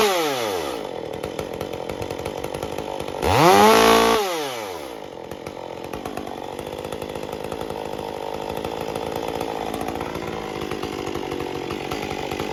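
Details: Stihl MS201T chainsaw revved to full throttle and released: it screams up, then drops to an idle that hunts and won't settle, with an inconsistent tune at idle and coming off full throttle. Erratic idle from an air leak.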